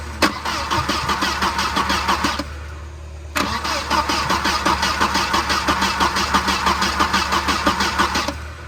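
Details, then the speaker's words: 1992 Volvo 940 wagon on a jumper box with starting fluid: starter churns at about three compressions a second over two attempts without catching. It cranks but won't start because of a faulty radio suppression relay, then bypassed with a plug delete. "Okay, radio suppression relay has been plug deleted. So it's just smacked right in there."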